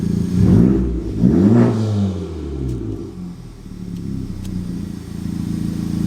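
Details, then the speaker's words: Honda Civic Type R turbo being checked for a boost leak: climbs cleanly through two quick revs and settles, pitch rising and falling evenly, no hiss or stumble; owner thinks the leak is found. "so much tables it's already sounding a lot better than what it was before i don't think uh kathy wanted me to rev it that much but"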